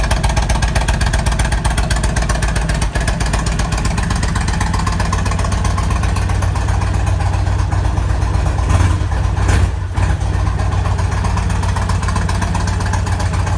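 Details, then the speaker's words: 1998 Kawasaki Vulcan 1500 Classic, cold start at about 50°F after sitting, after case and needle bearing work: an even, loping V-twin idle, and the earlier metallic rattle is completely gone. Normal idle. "so you can hear that rattle in there completely gone"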